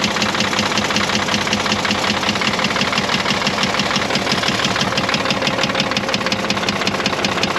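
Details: Caterpillar 977L with 10.5L diesel: sharp, steady knock about two to three per second at idle over diesel clatter, despite good oil pressure in the green; injector knock questioned, cracking injectors showed cylinder 6 dead, cause unconfirmed.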